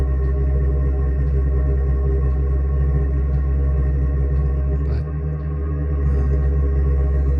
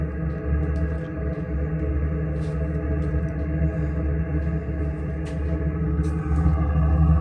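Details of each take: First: Chinese diesel combination water heater/furnace being installed in an RV bus, exhaust pipe out the side, air bubbles still in the fuel line after priming. Deep resonant roar with an uneven, pulsing burn that smooths once it runs well. Unstable combustion from air in fuel line. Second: Chinese diesel combination RV water heater/furnace, second ignition attempt after bleeding air bubbles from fuel line: steady, even low drone with no sputter or pulsing, consistent burn; normal steady burn.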